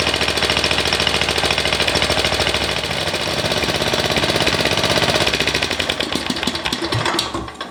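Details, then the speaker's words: MTD ride-on mower single-cylinder engine after carburetor rebuild fixing a surging problem, idle brought up slightly; fast, even chatter with no hunting or surging, faint occasional miss it has always had, then shut down. Normal running, surging fixed. "Right, so it's got a tiny little bit of a mess, but it's always had that. I think that's that fixed."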